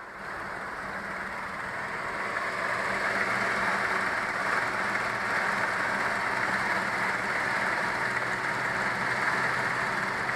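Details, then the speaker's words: Renault 11 after thermocontact (fan switch) replacement, idling: steady rushing whoosh builds and holds as the electric radiator fan cuts in; normal, though owner feels it stops slightly early and suspects the gauge temperature sensor. "Bon bah j'ai envie de dire que j'ai résolu mon problème. Même si je trouve qu'il s'arrête un peu trop tôt."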